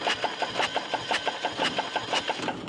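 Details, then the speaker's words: Three-cylinder air-cooled Deutz diesel, with the compression tester later reading weak at about 400: quick, light cranking at about seven beats a second that never catches, spinning too freely; low compression, possibly from wear. "worn but that's probably why it's not getting any compression but it's not like these settings are way off either right"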